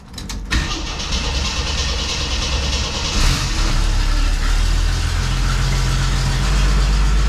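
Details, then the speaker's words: 1981 Jeep CJ7 with newly replaced carburetor, first start after sitting a few weeks: cranks briefly, catches, then lumpy wavering idle that never smooths; owner suspects multiple vacuum leaks or idle jet screws needing adjustment. "okay so good news bad news uh good news the car started uh bad news did not run very good it sounded like there were multiple vacuum leaks"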